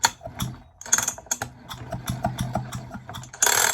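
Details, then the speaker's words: 1970s Stihl two-stroke chainsaw, found lying on the ground, turned over gently by hand with oil resting on the piston skirt: slow pull with light ratcheting clicks, no binding; turns nice and smooth, not seized. "Now the moment of truth, we'll actually see if it will gently turn to make sure that, because at the moment the oil is resting up against the skirt of the piston, so let's just see if it actually turns over. Oh yeah. Yep."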